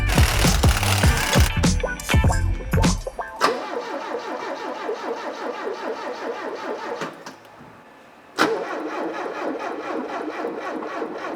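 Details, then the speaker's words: Supercharged barn-find Porsche 924, first turnover after a clutch change and exhaust refit: slow, uneven, hesitant cranking with a sluggish starter before the engine catches and settles. The owner suspects the starter motor is gummed up again; this is not confirmed. "I think it's that starter motor getting gummed up again"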